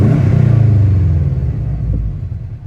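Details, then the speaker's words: Subaru WRX after rebuild, idling with a deep, even rumble that swells on a brief rev and settles back smoothly; normal smooth running. "Very smooth. I like it."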